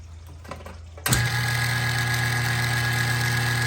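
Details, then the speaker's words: Old kitchen trash compactor, back panel off, overstuffed and running continuously without shutting off; motor hums evenly and free-spinning, unloaded, because the drive chain popped off in the chain reduction drive. "See, it's a simple drive motor with a chain. And that little chain turns this large chain at a very high torque ratio. Big pulley to small pulley to big pulley. So the chain popped off."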